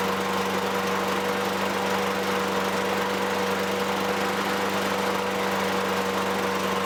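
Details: 2003 Toro Recycler 20016 with Tecumseh 6.5 single-cylinder, a trash find, runs after carb cleaning and gas-tank debris removal. It holds a steady, even speed at constant pitch with no hunting or knocks. A little smoke fades.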